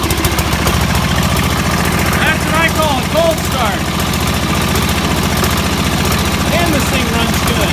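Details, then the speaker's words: 1969 Sears Suburban 12 with a 10 hp single-cylinder diesel, first cold start, new intake manifold and 1" NPT exhaust adapter: steady low thumping beat, firing evenly without misses or knocks; running normally. "oh there's one pop whoo this thing is not easy to pull over I'm a pepper shaker it's not even that loud"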